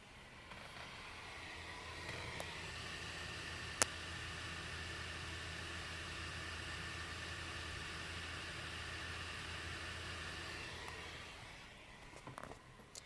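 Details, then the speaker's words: NVidia Quadro M4000 graphics card under heavy load, fan set to 100%, about 81°C: steady airy whoosh with low hum, even and unchanging; normal fan noise at full speed, loud but smooth. "i just want to fit the fan up to 100 and in the worst case scenario this is how loud it will get"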